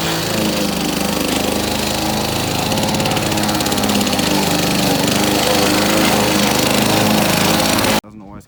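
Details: Victa two-stroke lawn mower rebuilt from two parts mowers, test run after rebuild; steady even buzz at constant speed for eight seconds, no misses or surging, then shuts off cleanly; runs healthy.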